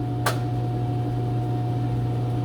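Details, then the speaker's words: Commercial washer started on Brights cycle via card/select (water off), single sharp click over a steady low hum as the door lock engages and status goes to in use; normal door lock. "You can hear that it clicked, it's locked the door, and we go to in use."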